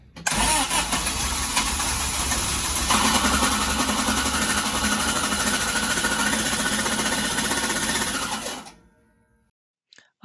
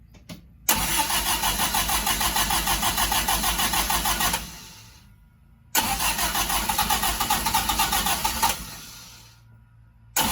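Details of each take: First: Sunbeam Alpine with a new WOSP high-torque starter: harsh metallic grinding while cranking from a fitment issue, not wiring; pinion not meshing properly with the flywheel, fixed with a 3 mm spacer. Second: Sunbeam Alpine with new WOSP high-torque starter after fitting a temporary spacer between starter and adapter plate: three clean cranking bursts with an even churning beat, the earlier grinding from a fitment issue (pinion engagement) now gone.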